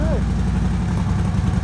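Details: Harley-Davidson V-twin with Vance and Hines Big Ovals exhaust after welding a broken hanger back on: deep, lumpy potato rumble at idle, even with no rattles or leaks; exhaust sounds healthy after repair.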